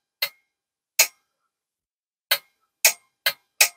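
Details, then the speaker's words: RME DB-22A WW2 preselector after antenna changeover switch repair, relay driven at just over 11 volts under load: six crisp sharp clicks as the cut-in/cut-out switch is thrown; relay pulling in normally. "I don't know if you can hear that might even be able to see it top wafer on the that's working Dandy"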